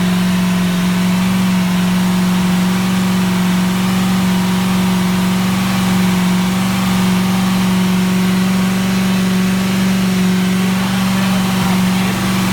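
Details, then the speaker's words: Ford 351 V8 EFI in a Four Winns boat, first start after drive coupling, gimbal bearing and transom seal rebuild, gauges in the green: deep steady V8 drone at 3,000 rpm, no knocks or misses; normal revving. "Everything's in the green. What a great thing. 3,000 RPM."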